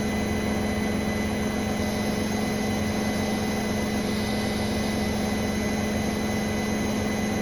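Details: Brand-new Bosch Serie 4 WAN28281GB washing machine on the final fast spin, perfectly balanced: steady high squeal of constant pitch over the spin rush. The seal is clear of the drum; owner suspects bearings or the EcoSilence drive belt, unconfirmed.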